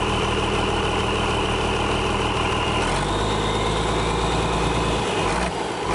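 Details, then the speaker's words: International DT466 diesel, first start in 8 years; steady, even diesel clatter at idle, settling slightly lower partway through, no misses or knocks, idling well. "sounds good looks like it's going to run all right uh I think everything will be fine on it"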